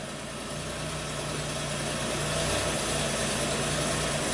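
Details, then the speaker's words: 1993 Buick V6 that starts fine but falls on its face on acceleration, no codes; put in gear under light load, it labours with an uneven, lumpy beat while the O2 reading sticks lean: rough running under load. "Sounds like crap, but Yeah, it's trying. It's trying."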